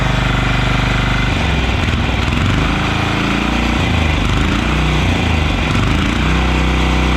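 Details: Yağmur YET 300 single-cylinder diesel rototiller after repair (it had tipped over, then misfired and stalled): even thumping with no tick or clatter from the valves. Normal running.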